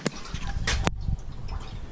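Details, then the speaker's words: RV absorption fridge taken out and tilted side to side to burp the cooling unit: a low gurgling slosh of liquid breaking loose inside. Keep turning until it stops, then repeat on another side to restore cooling. "hear that that's what we're listening for you hear it keep going until it stops then you're going to turn it to another side and just keep doing that"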